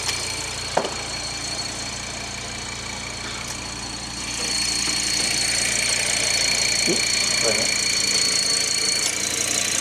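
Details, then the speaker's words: Mk1 Audi TT RS 2.5-litre five-cylinder running: thin steady high whistle strengthening partway; suspected vacuum pump rear seal leaking into crankcase, noise gone when pump unloaded; not confirmed. "so I think the back of the vacuum pump's gone and it's leaking it's sucking out of the"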